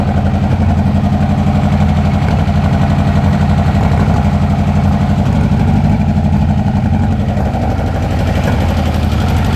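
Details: Kawasaki Concours motorcycle after carb installation: rough, lumpy stumbling idle about four beats a second, then shuts off; misfire caused by an intake valve come loose from its valve spring, stuck fully open.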